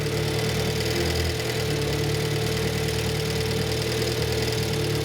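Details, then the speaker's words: Renault 5 Gordini Turbo (Alpine Turbo) classic after idle mixture screw adjustment, richer disliked and set back to where it's happiest; even, settled idle with steady low hum, no misses or knocks, ticking over smoothly at set speed; normal idle. "I'm unscrewing that which makes it richer and it doesn't like it so I'm going to screw it back in again there we are that's about where it's happiest"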